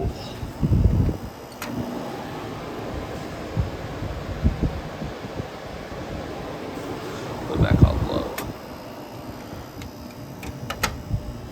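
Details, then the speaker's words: 1983 Gibson SlumberMaster window air conditioner on high cool: steady, low, even hum with a few light bumps, no rattle or squeal. Runs perfectly and is very quiet. "I think it runs perfectly it's quiet as hell too lives up to its name slobber bastard"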